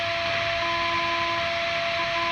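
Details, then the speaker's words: Line 6 Relay G70 on an isolated pedal power supply: steady high buzz and whine with hiss, rising each time the LED switches on and off; ground loop. "this is an isolated power supply but still every time these LED goes on and off you can hear it now"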